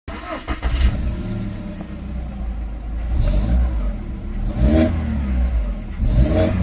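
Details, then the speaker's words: VW Golf Mk5 1.6 after misfire repair (new plugs, HT leads, coil pack; faulty injector wiring found on one cylinder): engine picks up cleanly through several blips and settles evenly, no stumble, running smooth on all cylinders. "and we found that on this cylinder here in the injector that these wires miss. So, yeah, it seems to be running nicely now. Happy with that."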